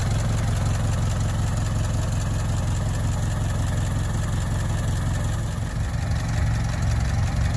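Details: Barn-find Ford Model T farm truck, first start in many years after simple repairs: the old four-cylinder chugs at a slow idle with a low, fairly even beat over some roughness, running steadily.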